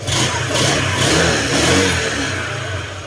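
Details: Honda Click 125 after a lower-engine overhaul following damage from neglected oil changes: engine revs up in smooth blips and settles back. No knocking or rattle; now quiet, healthy and free-running.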